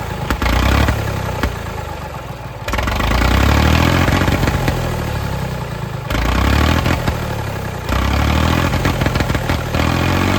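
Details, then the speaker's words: Late-1960s/early-1970s Massey Ferguson 2200 forklift, Perkins 3-cylinder gas engine, sat 23 years: revs surge up on their own and won't drop back, running away. The throttle linkage is gone, the governor isn't working, and the throttle butterfly isn't closing. "I don't know why it's trying to run away. The throttle control is not really doing anything."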